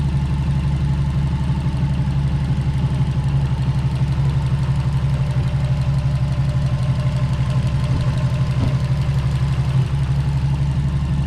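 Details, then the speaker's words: 2002 Subaru WRX right after a replacement motor swap: a steady, even low rumble at a constant idle with no knocks, misses or rhythm changes; the new engine idles smoothly. "so after a long day the car lives once again the new motor you can listen to it her i'll shut up now"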